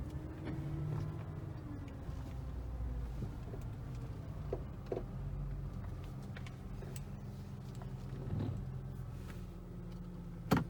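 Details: 2012 Audi S4 B8, 80K miles: low engine hum with drawn-out creak and sharp clunks from the front end on slow steering and bumps at 25-30 mph; strut mounts, upper arms replaced, subframe bolts tight; unresolved, owner suspects intermediate shaft or steering rack.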